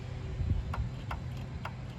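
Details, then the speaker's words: 1977 Chevy Camaro found abandoned with an engine that was nearly locked up, starter tested on a booster box with a badly corroded ground: sharp single clicks about twice a second, no cranking. Starter suspected bad, not confirmed. "So that starter is probably shot."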